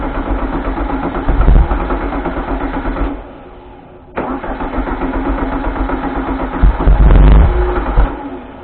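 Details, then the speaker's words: 1973 VW Thing (1600cc) restoration first start; engine catches, runs ragged, fades and dies, fires again and dies; not enough fuel reaching the carb bowl; rear main seal oil leak suspected. "We don't have enough fuel coming through that."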